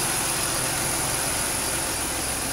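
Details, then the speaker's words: 2006 Pontiac Grand Prix at idle after engine swap and exhaust leak fix: steady, quiet, smooth even hum with no ticking or exhaust puffing; burning off oil and brake cleaner, RTV still drying, mass airflow sensor reconnected. "all right you guys we got our running nice and quiet no more exhaust leak really quiet it's been burning off the oil and burning in that"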